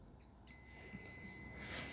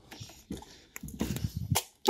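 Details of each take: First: mann haben wir ein kurzschluss weil plusminus darf nichts zusammensein Second: VW Golf 2 1.8 RP, one of two horns defective and fuse blowing, after fitting fuse: several short toots and one longer blast, each a clean steady single tone; horn sounding properly.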